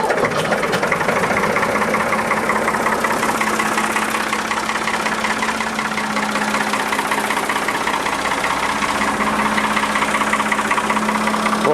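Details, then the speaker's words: Diesel backhoe just after an oil change with the filter topped up: an even, steady idle clatter with no heavy knock; the engine sounds completely different and better lubricated than before. "ça n'a absolument plus du tout le même bruit on a l'impression que le moteur tourne pas comme soit un coup"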